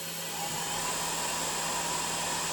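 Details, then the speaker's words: Tormach RapidTurn original unit, spindle run up in steps to high speed range: smooth airy whoosh with faint steady hum, no knocks or rattles; normal spindle running. "so it's just a whoosh sound it's no other sound again a lovely smooth sound"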